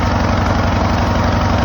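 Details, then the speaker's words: Craftsman LTS 2000 19.5 hp riding lawn mower: loud, steady, fast drone that never drops back; engine runs only at high speed, cause not yet found. "okay so as you can hear it's running but it's only running at one Speed high speed so I need to get that"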